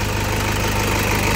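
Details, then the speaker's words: 2008 Toyota Fortuner diesel, now running after only a pinched part was replaced to cure the crank-no-start, instead of the pressure pump a shop blamed. Steady idle with an even low clatter and constant beat, no misses or surging. "Ayan dito lang yung pinalitan natin. Umandar na siya. Ligtas na yung 42,000."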